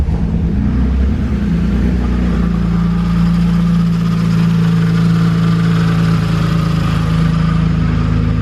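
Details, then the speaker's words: M54-swapped BMW E36, jump-started and running without coolant: steady low drone with a rough busy hum at idle; owner suspects a bad bearing in a front engine pulley, not confirmed. "so there she is running um bit noisy at the moment i think one of the pulleys on the front of the motor or something like that has a bad bearing"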